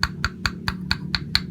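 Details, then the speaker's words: Yamaha RX King engine with sharp, hollow clicking as the piston is rocked by hand: piston slap from a worn, scratched cylinder bore and worn piston (seher) needing a rebore; crankshaft and conrod play also blamed for the knocking. "Nah, ini kemarin ada bunyi keletak-keletak di bagian boring, ini sehernya yang bunyi, bro. Ini udah plong."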